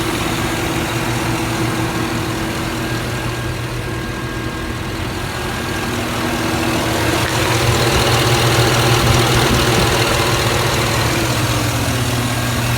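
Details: 2007-or-later Chevy 5.3L V8 after fixing the DOD lifter failure on cylinder four, with the DOD to be tuned out of the ECU: even, steady idle with a smooth low rumble and no knock or tick; normal idle.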